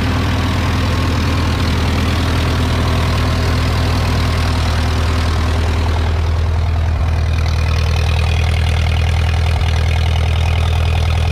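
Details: Ferguson TO20 tractor four-cylinder after tune-up and conversion from points to electronic ignition; it went from running on one cylinder to all four. It idles with a steady, even low thump with no missing beats, firing cleanly.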